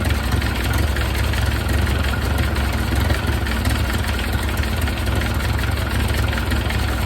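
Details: 1931 Ford Model A four-cylinder, long stored, after extra ignition advance and idle turned down, exhaust hot: steady low rumbling idle with an even beat and no misses, loud exhaust; runs a little better, carburetor never pulled.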